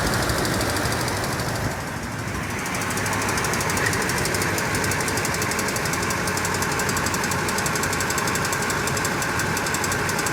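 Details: 2007 Toyota Tundra 5.7L V8 at about 170,000 miles, warmed up and idling, with a light sharp tick about four per second, loudest on the driver's side; ticking at first inconsistent, then following rpm.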